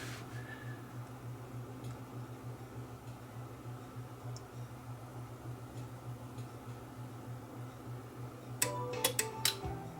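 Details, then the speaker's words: Sony TA-F700ES integrated amplifier (one channel out) at power-up: quiet hum, then a quick run of sharp clicks as the A and B speaker relays cycle on; normal. "oh it's just all the relays click it in it's got a relays for the speakers you see a plus b a and b so when it fires up it kind of cycles through the relays that's what all those clicks where i heard"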